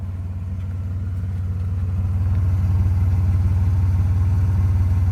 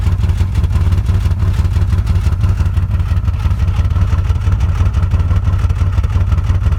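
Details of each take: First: 1995 Nissan Maxima (A32) with intermittent rough idle, heard at exhaust after revving to 7000 rpm temporarily cleared it; even exhaust pulses about 220 a minute with no stumbles, smooth healthy idle for now. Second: 1995 Nissan Maxima rough idle, heard at the exhaust. Deep, uneven, lumpy thumping; RPM bounces around 700 and goes away above 6–7 grand, and it won't restart without full throttle. Later fixed with new OEM injectors, EGR system, coolant temp sensor and vacuum hoses.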